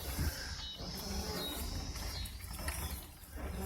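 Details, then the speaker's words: 2010 Mazda CX-9 driven in slow circles, worse turning right and getting worse over a year. A low, rubbery front-end growl and rumble swells and fades; owner suspects a wheel bearing, brakes already done, struts unlikely. "Does it mostly when I turn right. What I'm finding out, it's probably a wheel bearing."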